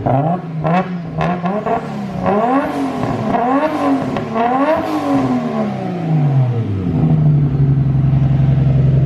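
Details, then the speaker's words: Nissan R32 Skyline on a simple base tune before dyno, loud exhaust without muffler: quick clean blips rising and falling evenly then a steady high hold, smooth healthy revving. "So she sounds a lot different now. I'm excited to hear this thing rip. It sounds so smooth."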